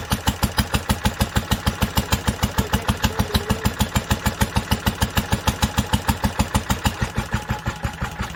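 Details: 1946 International Harvester LBB 3-5 hp water-cooled engine, first cold start after sitting covered a long time, started on the next pull after two choked turns; crisp, even putt-putt about three firings a second, no misses or knocks, healthy running.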